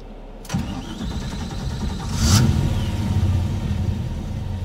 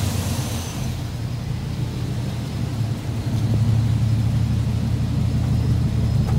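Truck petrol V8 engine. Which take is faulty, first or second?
first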